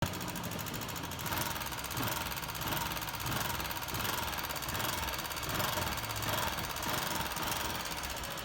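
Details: 2008 Honda CG 125 single-cylinder idling with busy metallic top-end clatter; mechanic suspects wear in rocker arms, pushrods or camshaft, and finds oil coming up, head area wet.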